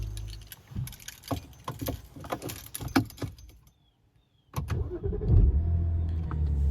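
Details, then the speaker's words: BMW N52 engine after replacing a bad starter: a few loose clicks, then it catches at once and settles into a smooth, steady idle. A normal start. "so the car fires right back up now that the new starter has been replaced and that resolved the issue"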